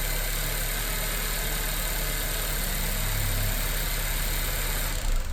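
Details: 2018–2020 Honda Accord 1.5T turbo engine just after fitting a PRL stage 1 replacement air intake tube: smooth, even idle with a gentle rev lift, slightly more induction whoosh and air release on lift-off, nothing dramatic; healthy normal running.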